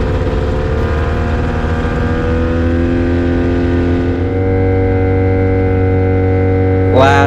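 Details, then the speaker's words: Avid Flyer with Rotax 670 two-stroke, taxi test, after earlier trouble was blamed on a dirty air filter: steady, high-revving drone at an even pitch at full throttle, smooth with no misfire. Healthy running, supporting that diagnosis. "once again happy little airplane so i think i was right in my determination of a dirty health filter"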